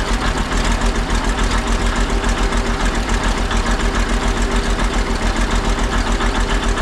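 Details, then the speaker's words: Ex-military 1959 International dozer diesel, first start after sitting months with fresh batteries, running a couple of minutes after the smoke cleared: steady, even beat about three and a half per second, no misses or knocks; healthy idle. "Well, after it ran for a couple minutes, the smoke sort of cleared up. The engine actually sounds pretty healthy."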